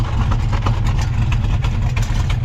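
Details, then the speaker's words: 1971 Mustang convertible with 347 stroker V8, 5-speed manual swap, long-tube headers, restrictive exhaust flap plates just removed, 18° base timing, 34° at full vacuum, no pinging: deep steady idle with even lope, strong rumble and header ticking; healthy, no knocks or misses. "yeah I like that and then up front all you can hear is the ratatatat on those long tube headers this thing is running great"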